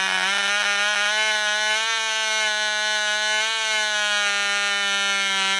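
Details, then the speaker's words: Wrecking-yard Cox glow engine on nitro fuel, first start after needle adjustment: steady, piercing high-pitched scream at constant speed, no misses or surging; runs well, good compression afterward. "she does run guys you heard it right here all right so sweet that one runs"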